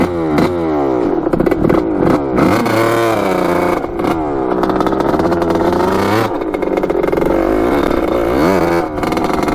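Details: 1986 Kawasaki KX125 two-stroke dirt bike on its first ride after rebuild, cracked JB-Welded pipe and missing pipe spring: revs rise and fall unevenly, soggy and blubbery rather than crisp.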